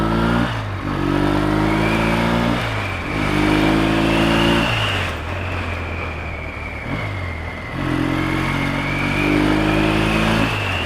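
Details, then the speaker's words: Yamaha XS650 SF motorcycle with drilled louder mufflers, after tuning: revs surge unevenly with ragged splutter and stalling from idle to quarter throttle, fine when opened up; owner suspects carburettor needles in wrong slide position. "It's alright when you open it up, but from nothing to quarter of a throttle, the other day."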